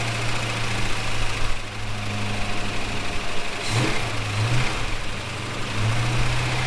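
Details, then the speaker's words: Holden HK, freshly rebuilt engine just installed, first start: steady low rumble settling into an even idle with no knocks or misses; runs fine, though a welsh plug leaks on one side. "Well, she ran. Well, she ran. So far, pretty good."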